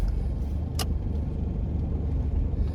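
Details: Rear wheel bearing, bad for about five years (clunk on pull-away, roar with speed), now running quiet at around 50 mph: only a low, even road rumble with no growl building.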